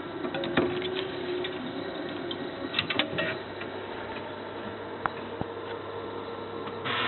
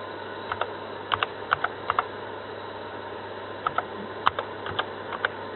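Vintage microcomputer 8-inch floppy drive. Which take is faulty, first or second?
first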